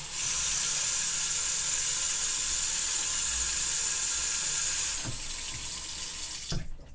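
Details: Bathroom sink drain after cleaning the stinky drain and reassembling the tailpipe; steady full rush of tap water draining away with no gurgle or backing up, flowing freely.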